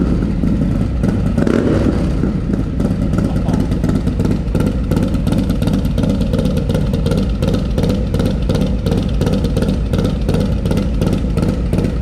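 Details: Harley M8 Lowrider S with 131ci Stage IV kit, just fired up after swapping the SE 517 cam for a Cycle-Rama 512, still cold: deep lumpy lope about 160 beats a minute with throttle blips, firing evenly and crisp; normal idle and revving.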